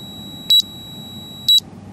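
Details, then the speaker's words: BM235 multimeter with backlight on, gain at maximum: faint steady whine around 5 kHz between short double beeps, gone with backlight off; multilayer ceramic capacitors in the backlight inverter circuit singing from the piezoelectric effect. "You clearly heard that tone there. It's around about 5 kilohertz or so, and it's clearly coming on when you turn the backlight on."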